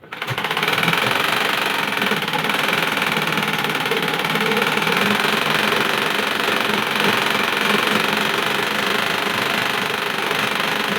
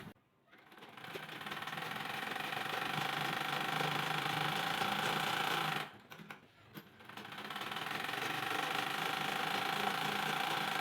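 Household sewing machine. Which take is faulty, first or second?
first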